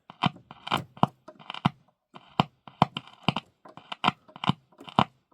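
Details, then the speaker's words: Vidor CN420 valve radio after restoration: a 9V battery tapped across the output transformer primary leads gives sharp, clean speaker pops with no buzz or rattle, showing the speaker and output transformer are probably good. "you hear the speaker popping. And that straight away tells you that your speaker and output transformer are probably good."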